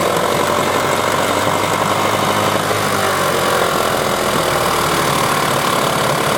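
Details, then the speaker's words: 1994 15 hp Johnson/Evinrude outboard with impact damage and dual coil setup; uneven, lumpy idle with a stumbling beat as if running on one cylinder, owner suspects a gummed-up carburetor, cause unconfirmed. "doesn't idle well at all. So she's rough, so I'll clean her up a little bit. And it sure sounds like it's running on one cylinder, but it could just be the carburetor's all gummed up too, and it's halfway delivering fuel the way it's supposed to."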